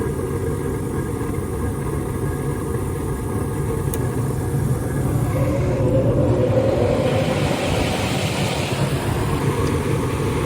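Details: Rheem furnace in heat mode while chasing a low-voltage short on the yellow wire: even low roar swelling as the blower comes up to speed, no rattles or scraping, heating normally.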